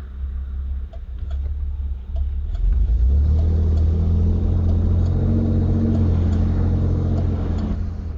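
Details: Camaro with a 347 V8, recorded with T-tops off and windows down. Deep V8 idle lopes and stumbles unevenly with a few stray clicks; a subtle rough idle, felt more inside the car. Cause unknown.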